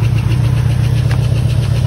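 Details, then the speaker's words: 1979 Ford F-150 that sat since 1999, revived and idling, low on coolant. A steady low idle with a light quick tick in time with the engine, a likely lifter tick judged not bad and expected to fade with running. "a little bit of a lift to tick but nothing nothing bad"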